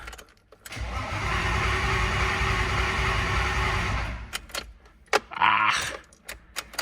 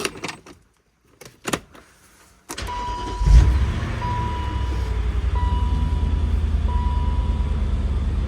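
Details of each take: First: S52 turbo BMW wagon with a weak battery on a boost box: starter spins steadily for about three seconds with no catch and no fuel pump hum; crank no start because the new Walbro 255 fuel pump is not running. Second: BMW Z8 E52 after about 5 months stored, battery flat over winter but recovered: a short crank, instant firing and a smooth, even idle under a dash chime, valvetrain sounding good; possible rub from the fan or charger lead.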